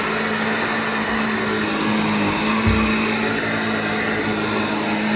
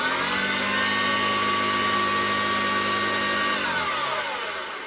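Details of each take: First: Vintage Hoover 1334 vacuum cleaner after full restoration, motor stripped, cleaned and reassembled: steady, even motor hum with constant pitch and a soft thump every few seconds as it rolls; runs smoothly and sounds healthy. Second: Vintage Hoover 1334 vacuum cleaner after refurbishment: high motor whine with a rough, clattering rumble underneath like a train trolley, winding down on switch-off; worn motor bearings.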